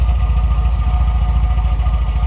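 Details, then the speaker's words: MGB revived after 28 years parked, idling near normal operating temperature with 50 psi oil pressure: deep even idle, steady low thump, no stumble or knock, clean exhaust without blue smoke; running smoothly. "but on idle we've got 50 PS oil pressure and we're just coming up to normal operating"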